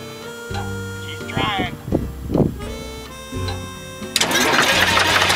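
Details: Flxible bus diesel cold start after sitting for weeks, no starting spray used: cranking bursts, then catches and runs loud and even over music, left to idle up to temperature; normal start.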